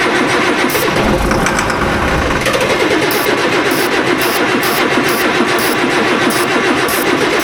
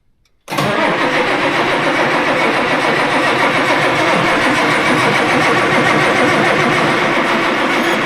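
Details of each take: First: Tractor diesel after new turbo and injectors fitted for high EGT, starting after bleeding air from fuel system: catches and settles into steady even run, no misses or knocks; normal healthy running. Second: Tractor diesel with loader, cranking right after fitting a new turbo and injectors to cure high EGT from a failing injector: steady cranking at about four pulses a second that never catches. Long crank, no start because air is in the fuel system.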